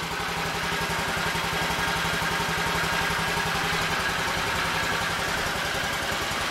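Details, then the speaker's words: 2015 Honda Ruckus that sat a couple of years, running on jumper wires for the ignition switch: quiet, steady single-cylinder idle with no misses, rattles or hunting; healthy running engine. "Listen to that little machine pick them off. Listen to that. Listen how quiet that is."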